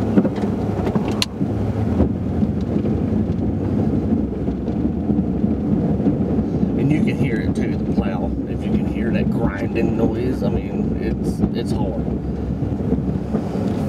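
Deep, continuous scraping rumble under the truck's engine: the plow blade is grinding across hard, uneven ice.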